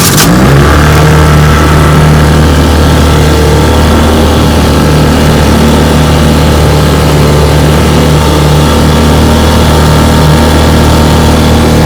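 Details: 1958 Johnson 3 HP JW14 outboard, warm start, on test run: the small two-stroke buzzes along at an even, steady beat with no misses or knocks, running healthily.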